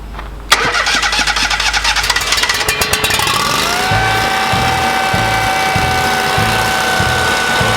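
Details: Kohler EFI engine after fitting an aftermarket high-pressure fuel pump with a modified plug and re-secured pump contacts: cranks a few seconds, catches near three seconds, revs climb, then settles into a steady, even idle; starts and runs cleanly.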